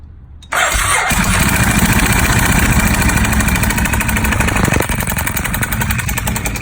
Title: 1098 bad engine noise